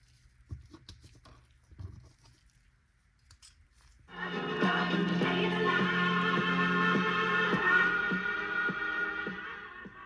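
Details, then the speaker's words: Mid-1930s Montgomery-Ward Airline 62-425 radio playing after rewinding its power transformer (open HV secondary), 110 V AC in, B+ 34.3 mA: clean steady music with no hum, crackle or dropouts; normal operation. "guys, you can hear I've got the little Airline receiver playing with the rebuilt power transformer. All my voltages look pretty good."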